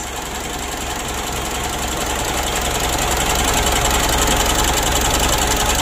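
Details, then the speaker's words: Mitsubishi Pajero Sport Exceed diesel after small checks and an air filter clean: hard clattery idle with an even knock near 3.5 per second from the front. Rough idle; mechanic suspects the supply pump is starting to wear. "lalu yang suara pada bagian depan ini ya sudah kita analisa itu supply pump nya atau Palm ya pompanya itu menurut saya sudah mulai aus tapi masih kecil suaranya ya"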